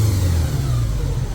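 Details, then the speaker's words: A 1983 Honda GL1100 Goldwing, barn-stored 9 to 10 years, is at operating temperature with the choke off after a full carburetor sync. It gives a low, smooth, steady idle rumble at about 950 rpm with no misses. Sounds tuned and much better. "and then my idle comes down right about 950 so yeah I think we're tuned up sounds a lot better"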